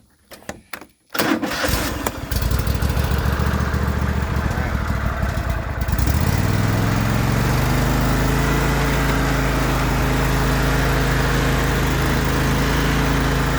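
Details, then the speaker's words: John Deere L130 riding mower after bearing housing replacement and deck reinstall: cranks briefly, catches and settles into a steady even idle with no knocking or squealing; runs healthy. "All right, y'all, got the deck put back on the L130, and we're gonna try it out. I'm gonna fire it up here real quick."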